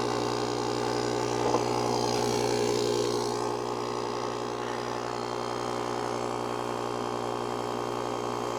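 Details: JOMGAND JQP3750 jump starter's built-in tire inflator (150 PSI) pumping a tire, set to shut off at 20 PSI. Steady buzzing drone, even pulse about four per second, no knocks: normal running.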